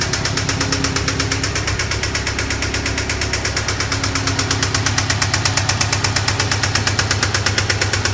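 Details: 2008 Subaru STI turbo flat-four idling with a fast, even knock tapping through the engine note: rod knock from a spun rod bearing, engine rebuild needed.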